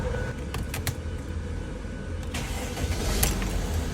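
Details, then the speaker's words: 2016 Mercedes Sprinter 319 CDI, OM642 3.0 V6 turbo diesel, idling after turbo replacement for whistling noise: steady low rumble, normal injector ticking, no turbo whistle; sounds much better. "sounds much better"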